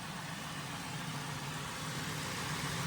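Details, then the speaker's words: Salvage Cadillac Deville being rebuilt, idling after a new PCV elbow and the reinstalled, topped-up power steering pump, before reaching temperature: quiet, steady hum with no belt squeal or chirp. Water pump belt and pulleys are fine. "No issue with the water pump belt and the pulley."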